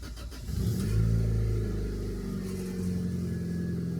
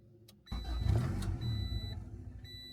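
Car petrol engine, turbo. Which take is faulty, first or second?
second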